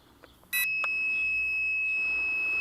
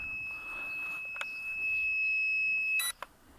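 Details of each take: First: Locator buzzer on a homemade lightweight carbon-tube quadcopter (JJ1000 board): 1.7 g magnetic oscillator active buzzer, not piezo. A sharp, steady high-pitched beep cuts in and holds, loud and clean; normal buzzer beep. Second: Lightweight carbon-frame quadcopter (JJ1000 board) with a 1.7 g magnetic active buzzer: a shrill steady tone for nearly three seconds, then it cuts off. This is the lost-model locator beeping.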